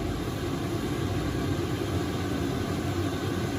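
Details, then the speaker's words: eBay diesel air preheater for a workshop, on a 12V 30A supply, running at full power: steady, dense roar with a low rumble and no knocks or surges. A little noisy but normal. "And it's a little bit noisy, but it's running at full pelt at the moment."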